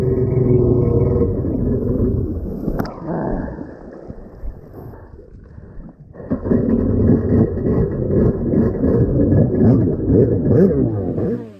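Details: Rebuilt SuperFreak two-stroke watercraft (760), day three on the water, carbs rebuilt with new kits on both, still unsolved: rough uneven note that sags and surges without a clean rev. Carburettor fault suspected.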